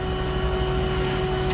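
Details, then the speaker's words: Tandy 2500 XL computer with its original case fan refitted: loud steady whirring roar, mid-pitched hum and rushing air; fan excessively noisy, owner suspects age or cheaper old fans; a $10 replacement is nearly silent. "Original fan back in. Here we go. And now you can hear that sucker roar to life."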